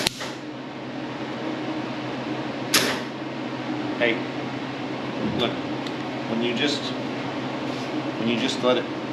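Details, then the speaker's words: MIG welding rust repair on a 1981 Chevrolet C-10: only isolated sharp pops about a second apart instead of a steady bacon-frying sizzle lasting two seconds; weld too short, popping without fusion. "pop like that like that that doesn't weld anything it doesn't do anything it has to run for"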